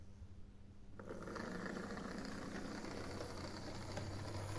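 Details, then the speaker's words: Used Lima BR218 model locomotive motor running on track: a faint buzz with a rough, uneven rumbling growl because the gear-side bearing is worn, from being run without oil. "It's noisy because the bearing on the gear side is worn, so you'll hear it now."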